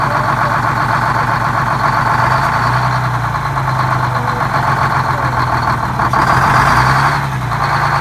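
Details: GM 4104 bus diesel that sat about nine years, run after freeing four stuck injectors and replacing a bad starter: loud, even idle with a steady rasping beat and no misses or knocks; runs smoothly.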